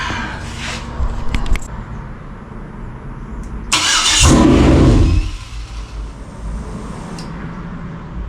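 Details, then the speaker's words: 2003 Yukon 5.3 L LS engine on a stand for a 1994 C1500 swap. Brief cranking, then a one-second burst as it catches and immediately dies. It won't stay running with the body control module unplugged; plugging in the module got it running. "nope still won't [Music] run huh okay try plugging in the body control module let's see if that helps"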